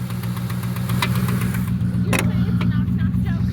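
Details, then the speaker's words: 1996 Ford Mustang GT convertible, 4.6 2V, automatic, described as a bad motor: rough idle with dull uneven knocking about four times a second over a low rumble, revving up on its own; cause unknown. "Why does it accelerate on its own? What's that noise? >> I think it's getting ready to tell a knock-knock joke."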